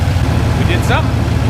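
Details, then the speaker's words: LQ4 6.0 V8 from a Silverado 2500 in a Foxbody Mustang, hot idle after oil pan work for low oil pressure (pickup ring suspected sucking air): quiet, steady, even burble with no knocks or ticks; healthy. "and it's hot right now and it's quiet super-quiet"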